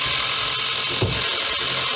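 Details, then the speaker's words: 2014 Audi Q5 2.0 TFSI after rear main seal replacement fixed a crankcase vacuum leak (codes P0506, P0300–P0304), with intake valves and injectors cleaned: a smooth, even idle with a steady airy hiss and no misfires. "After the seal has been replaced, there is no more vacuum leaks and uh also the valves have been cleaned, the injectors have been cleaned. It's all working like it should."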